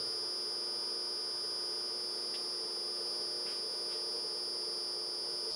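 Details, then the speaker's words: Teco L510 VFD driving induction motor, carrier mode 2/3 at 5 kHz carrier frequency: constant high-pitched whistle over a quiet motor, audible drive carrier tone from the low switching frequency. "for this is with the carrier mode set to 2/3 and the carrier frequency set to 5 khz and you can audibly hear the uh frequency in the"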